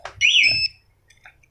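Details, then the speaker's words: 2021 Yamaha NMAX 155 with an aftermarket smart-key anti-theft alarm, remote red button pressed: engine cuts off and a short piercing warbling siren sounds; restarting is blocked. "Caranya yaitu tombol merah ini pencet, mesin mati, alarm bunyi. Starter ulang nggak bisa."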